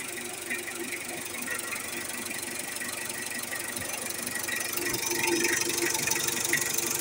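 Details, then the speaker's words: 2017 Mitsubishi Adventure diesel after DIY timing belt replacement and valve clearance adjustment (long method, firing order): even diesel clatter at steady idle, about four light ticks a second, no heavy knock; engine runs quieter again, normal idle. "Nakatipid ako sa labor at mas tahimik na ulit ang andar ng makina."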